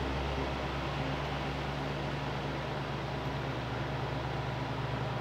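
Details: Arge Estilo 50cm fan on 220 V after replacing and testing the dimmer speed control, at high speed: steady, even motor hum with smooth airflow rush, no ticking or rubbing; healthy.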